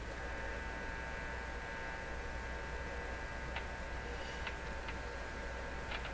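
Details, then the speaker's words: Canadian Crosley 12B tube radio, powered on during detector-stage checks with no station tuned: a steady low mains hum with faint whistling lines. The hum seems too pronounced for this set; cause suspected, not confirmed. "So the fact that you hear that hum without hearing any antenna sounds, wait a minute, I take all that back. what I was going to say was the hum is too pronounced here in this radio."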